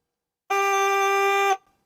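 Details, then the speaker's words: 1960s Homelite 55HP outboard on test, shifted from forward into neutral: one steady reedy horn tone from within the throttle box holds about a second then cuts off; warning horn sounding in neutral, cause unknown. "so guys this is the alarm that I'm talking about so right now we're in forward gear when we fold it into neutral you get this"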